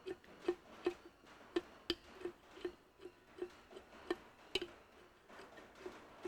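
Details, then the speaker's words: Ferguson TE20 hydraulic pump, newly reassembled on the bench, turned by hand to draw oil: crisp, light valve clicks two or three a second, valves opening as they should; pump working normally. "you can hear that you can hear that valve opening let's see if we can draw a bit of oil through"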